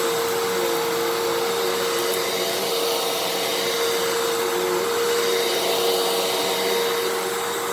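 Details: Fantom Fury 12 amp vacuum, made October 2000, after clearing a clog: steady high motor whine with even airflow rush, no surging or rattles; brushroll and motor now run perfectly.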